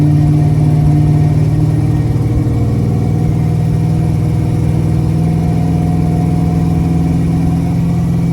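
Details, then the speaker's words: 1978 El Camino, 357 small-block Chevy, TH400, cold at 500 rpm idle: raspy ticking puff on every firing pulse. Exhaust leaks at both collector welds, not the gasket; Flowmaster-style mufflers. "it's where the weld is it's I'm going to get somebody to weld that up but that's what the exhaust leak is it's not a [Music] gasket"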